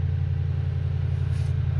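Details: Toyota Tundra after fuel pump driver module replacement (previously crank-no-start, hard start, rough idle): deep even idle rumble holding steady, no stumbles or misfires; running good.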